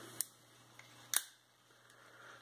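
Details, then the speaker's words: Vintage spinning reel anti-reverse pawl with spring tension adjusted looser than factory: a few soft, sharp ticks spaced well apart, very quiet for a clicker; normal. "I've adjusted the spring tension on the paul that does the anti reverse and I've made it a little looser than what it comes from the factory it's very quiet for a clicker"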